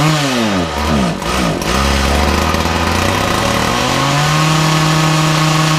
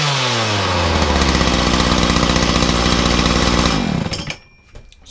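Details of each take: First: Makita DPC6430 two-stroke disc cutter, started with decompression and choke after carburetor jets were altered earlier: settles to steady buzz but sags and recovers twice under throttle; carburetor out of tune, needs adjustment. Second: Makita DPC6430 two-stroke disc cutter, cold start on choke and decompression after carburetor tuning and filters refitted, no blade: high steady full-throttle scream without bogging, winds down cleanly; idles and runs properly.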